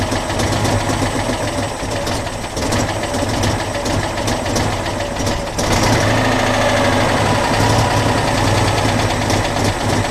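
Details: Citroën Dyane 6 that would no longer hold idle and cut out: lumpy, uneven idle with irregular chuffing, backfiring and a surge; dirt got past the fuel filter into the carburettor, problem fixed by adjustment/cleaning.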